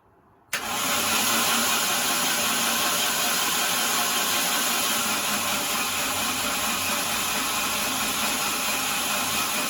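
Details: C20XE-engined Mini cranking with fresh engine oil and filter: ignition present, 80 psi oil pressure building. A sharp start, then an even churn with no knocks or grinding. It won't be started yet because the wrong fuel hose size was ordered.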